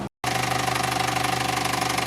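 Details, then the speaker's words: Vauxhall Corsa petrol engine with a cylinder 4 misfire code: fast steady ticking that persists after clearing codes and replacing the battery, with an uneven, struggling idle; cause unknown. "unfortunately for us though the engine was still making that noise and it's still taking a little bit at this point we were so confused"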